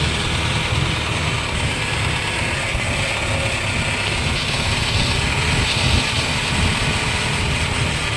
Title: Sound of Worn out wheel bearing , Holden Barina Tk